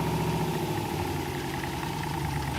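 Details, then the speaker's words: 1966 Corvette V8 that had been off the road since 1993, first test of a newly installed transmission: steady idle with a slight dip in pitch as drive takes up, no clunk or slip; reverse and drive engage normally. "Oh, we have drive, dude. Let's just warm up the trans and shift it through a few gears so we can check the level."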